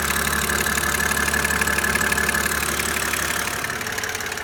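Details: 2007 BMW E92 with the N52B25 engine at idle: an even idle with a light, quick ticking of about three per second; hydraulic lifter tick.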